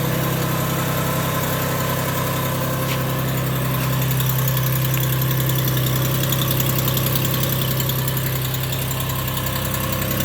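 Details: Lexus RX400h petrol engine at idle: light regular ticking roughly two to three a second from under the engine, stopping after about one minute.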